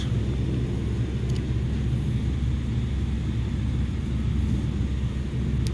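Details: ERV belt-driven blower among Train water source heat pumps: heavy, steady low rumble shaking the housing, brief ticks; slight bearing wear, loose misaligned belts and debris in the blower wheel vibrating offices below.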